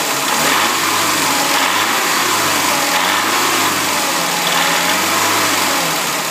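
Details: VAZ 2106 engine revved 2500–3500 rpm: engine rising and falling through blips, a faint rapping riding the revs near the top; knock also heard driving around 3000 rpm; oil pressure normal, 0.4 at idle, 2–2.5 kg/cm² at 3000; cause unknown.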